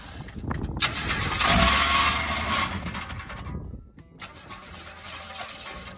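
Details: 1967 Chevrolet C10 with inline six rebuilt 30 years ago, TH350, home-rebuilt carburettor, windy outdoor audio: catches and runs with uneven loping beat and surging; torque converter suspected rubbing the inspection plate, cause unclear.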